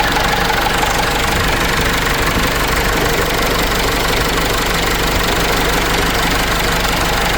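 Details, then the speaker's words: Case 586E with Cummins 4BT diesel, restarted after new oil pickup tube and oil refill: idle with sharp repetitive knock about three per second over the clatter; tapping heard from first start, source not found. "The reason why I said that is you could hear the tapping when I was running this engine at first."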